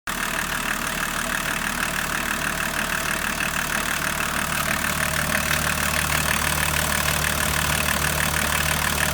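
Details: BMW 525 TDS E34 diesel at idle: an even, repeating knock about three times a second over the diesel clatter; abnormal engine noise, cause not pinned down.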